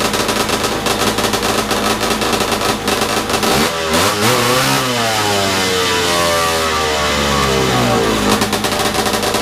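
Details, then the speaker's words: Big-bore stroker 277 snowmobile two-stroke, out of the sled after PTO-side seal fix, ignition lowered to slow idle: buzzy revs wavering up and down for seconds, then it stalls, though it ran longer than last time. "well that didn't last long it's it's better than last time at least"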